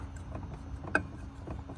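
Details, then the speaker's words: 23-year-old Club Car DS golf cart drive motor: a single sharp clunk cuts through a quiet electric hum. Owner suspects shot motor windings (not confirmed); motor to be swapped for a 5 kW motor with 600 A controller. "I don't know if you can hear that but the I think the windings of the motor are just shot on this thing"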